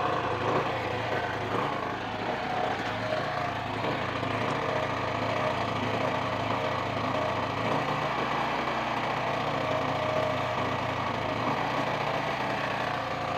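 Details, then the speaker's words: Sumura ET2500C generator, small single-cylinder engine not yet warm, being repaired for no 220V output: steady light drone with slight hunting; fine, just warming up before settling. "Oke. Kalau udah panas nanti stabil suaranya teman-teman."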